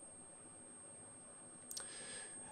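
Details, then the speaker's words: 15 kV inverter for an ESD simulator with about 1.2 V on the primary: faint, steady, very high-pitched whine over room hiss as it oscillates normally near 8.5 kHz and produces output. "the voltage you can hear it whining at 1.2 volts and yeah we are actually getting an output"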